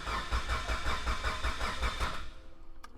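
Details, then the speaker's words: Mitsubishi Evo 8 rebuilt engine with Manley rods, Wiseco pistons and HKS 272 cams, new water pump and timing belt, cranked with the crank sensor unplugged so it won't start: even cranking at about 2.5 beats a second, free of knocks, healthy. "sounds pretty damn healthy"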